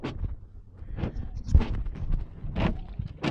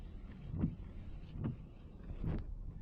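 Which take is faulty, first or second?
first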